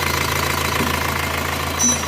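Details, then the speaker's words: Diesel engine just rebuilt after a machine-shop repair for liners loose in the block, new seals, freshly started at idle; fast, light metallic ticking rattle over the running, source still to be found. "biasa kalau baru hidup emang agak trouble seperti ini ada suara masih kericik-kericik ini nanti kita cari"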